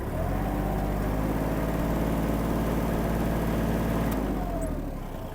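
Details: Kubota GL-29 mini tractor, 29 hp three-cylinder diesel, rotary tiller switched on as throttle is added: a steady, even drone whose pitch holds firm as revs rise; everything runs smoothly under load.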